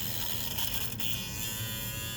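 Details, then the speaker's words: Small electric motor in a 1/48 Cessna 150 model, not yet glued in and wobbling. High, steady buzzing whine with a rattly edge, like the shaft vibrating; the builder may shave the shaft to reduce the noise. "once you glue it in and it sounds like a little airplane doesn't it maybe I'll I'll try and shave that shaft down a little bit coil down that noise"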